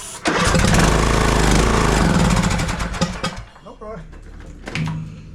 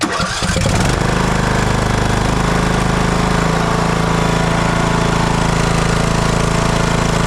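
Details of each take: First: TroyBilt lawn tractor, long-sitting, wouldn't start, unchoked, throttle full, sprayed with carburetor cleaner into carburetor: catches with rough uneven beat for a few seconds, then falters and dies; fuel not getting through, carburetor needs cleaning. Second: TroyBilt lawn tractor that had sat, after aftermarket solenoid fix, restarted on choke to warm up before an oil drain: brief crank, then steady even idle with no rise and fall in speed; running normally.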